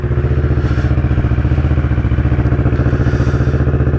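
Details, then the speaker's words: 2010 Kawasaki ER-6n twin after replacing coils and spark plugs, cold start on choke: fast, even throb at high choke idle, no misses or knocks; warming up cleanly. "let's see how, or indeed if, he goes. To warm up and that choke to drop out a little bit."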